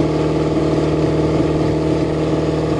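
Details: Chevrolet catching on the coldest day of the year, battery charge uncertain. It holds a steady mid-pitched run with only slight unevenness and keeps running fine; normal cold-start running.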